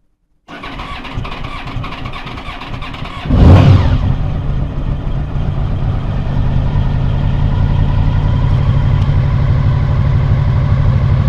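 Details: 2000 Honda VFR800 V4, injected, first start after winter storage on old fuel. Fires, blips sharply, then idles lumpy and uneven. One cylinder is dead with a cold exhaust pipe.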